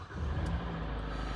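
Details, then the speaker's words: Hyundai i40 G4NA petrol engine at 60,000 km, repaired after knocking from winter scuffing, first start after rebuild: starts at once, oil pressure builds, smooth even low rumble with no extraneous knocks or ticks, running quietly. "запустился сразу же давление пошло тишина никаких посторонних Звуков нет всё работает Тихо всё работает хорошо"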